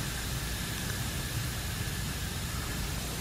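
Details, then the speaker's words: Lokithor JA301 jump starter/inflator (20,000 mAh), opened up: steady loud non-pulsing hiss of air escaping through cracks in the pressure sensor unit, the leak source; owner suspects inflating a tire to 60 PSI cracked it. "of air is coming out now this pressure sensor unit right here okay so that's our our source of our leak here"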